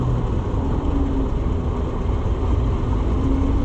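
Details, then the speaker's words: Oliver 525 combine, head lowered: low, steady rumble with even beat, no knocks or misses. Normal running. "Boy, she just runs pretty when it's... Jeez."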